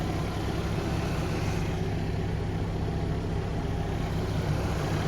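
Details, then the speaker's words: Steady low rumble with an even beat and no knocks or ticks from a Ford Ranger warming up cold outdoors while snowing; normal idle. "all right guys i got it started up just getting her all warmed up snowing out here"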